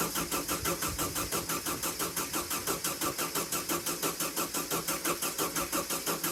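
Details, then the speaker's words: VW sandrail dune buggy, unused for 18 months: the engine cranks steadily with no firing because no fuel is pumping through. The owner cracks the fuel pump inlet and adds WD-40 before retrying. Cranks but won't start, no fuel delivery. "Turning over really well. Just check the fuel line, there's no fuel pumping through, so I'm just gonna crack the fuel pump inlet off, put some WD-40 in it, and we'll try it again."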